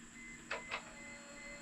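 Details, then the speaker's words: 1998 Mercedes C230 (W202) sitting since 2018, key turned to on; quiet steady high whine with two soft clicks as the fuel pump primes the system. "go ahead and put the uh put the um key in there and turn it to on position let's listen for the fuel pump"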